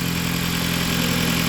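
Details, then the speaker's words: Jeep Patriot petrol engine at idle during inspection: steady idle with a faint hissy, puffing edge, a small exhaust leak probably at the gasket, judged not too bad. "I'm gonna start it up, see what it sounds like. Small exhaust leak."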